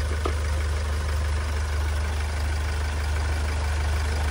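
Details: Hyundai Starex GRX diesel that would not start (code P1183, fuel regulator and fuel rail sensor), test-run with intercooler removed: deep steady diesel rumble at idle with no misses or rattles.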